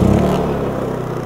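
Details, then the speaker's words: Honda EU3200i inverter generator (GX130 single-cylinder OHC, fuel-injected, recoil start, 89 engine hours) started with one pull: catches right away and settles into an even, steady run. Clean, normal start-up. "one pull should do do the trick this has been a very reliable thing to start up every time I've needed it it's never failed"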